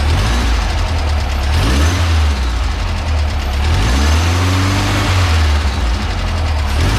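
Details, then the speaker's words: 1967 VW Bus (Transporter) with a stock dual-port 1600 air-cooled engine and a newly installed supercharger kit: low, even idle with a brief blip and a light rising whine; the exhaust leak is fixed, timing set, and it runs normally. "timing seems to be running okay test drive so it runs"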